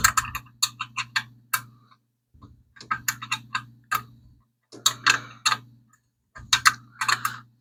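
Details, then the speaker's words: Engine hum with bursts of quick light clinks, louder on one side of the top end; owner suspects cheap eBay lifters are to blame for the tick. "That one clink that's in on this side, I think it's more or less on this side. If I could fix that clink, it might be safe to leave it alone."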